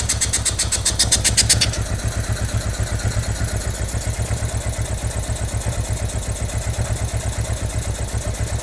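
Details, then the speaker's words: Honda NTV650 motorcycle left unused for 15 years, first start: catches and idles with uneven, lumpy pulses about four a second, hunting rather than settling; rough running, carburetor suspected, fuel pump also questioned. "I mean, I knew the carburetor was going to be a bag of cats, and I think that that's where the majority of the r"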